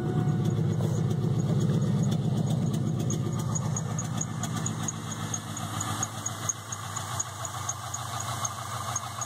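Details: 1998 Trans Am V8 idling with a steady deep rumble and a regular knock about three beats a second, started recently.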